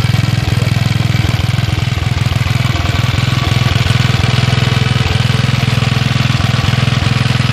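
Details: Villiers Mk 12 stationary single-cylinder engine running on gas after a misfire on the first pull. A steady, regular low beat of about three and a half firings a second, even and unbroken: running normally.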